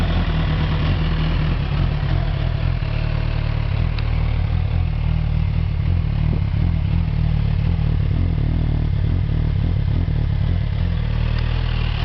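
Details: 2007 (K7) Suzuki GSX-R1000, about 9k on it, premium fuel: lumpy uneven idle with irregular stumble, misfire at idle and 1–3k rpm; unplugging coils individually never stalled it, vacuum hoses checked; owner plans new spark plugs.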